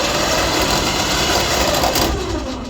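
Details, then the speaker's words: DK2 Warrior Samurai 17,500 lb winch on MAXXD roll-off trailer after 3 years of daily dumpster use, paying out cable under load: harsh continuous scraping grind as it starts to brake; brake or clutch slipping, sounds like hitting a gear. "Like the brake or the clutch itself is slipping. Here, let me do it again. So it sounds like it's hitting a gear. So as it starts to want to brake, it makes a horrible grinding noise."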